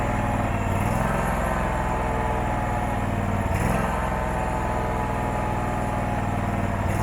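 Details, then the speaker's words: Abandoned Husqvarna mower with about 1100 hours, first run after revival: rough, lumpy single-cylinder run that sags and stumbles as the throttle opens. Carburetor needs cleaning; charging system rose to about 14.6 V. "okay that needs a carburetor clean bad you hear it's starting to not want to go in throttle"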